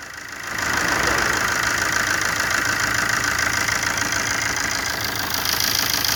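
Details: 2009 Opel Corsa D 1.3 CDTI 75 hp diesel: engine catches, then settles into a harsh, loud, busy clatter at idle with much hiss on top; owner finds it very noisy, unsure whether normal.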